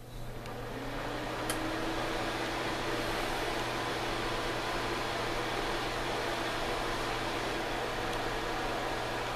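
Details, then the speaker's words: Suncourt register booster fan running: steady loud rushing drone with faint hum, only a gentle breeze yet very noisy; cause not confirmed. "it produces a breeze, a gentle breeze, not one to literally blow your hat off, but it's just noisy as hell."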